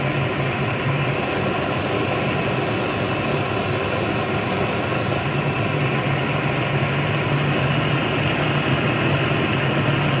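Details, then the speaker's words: Vintage Otto Bernz blowtorch with the valve cranked from a small opening to full: a loud, steady, even roar like a jet taking off, with no sputter or pulsing. The torch is burning normally at full valve. "Let's go ahead and crank it open, see what happens. There we go. It's like a jet engine taking off. Look at that."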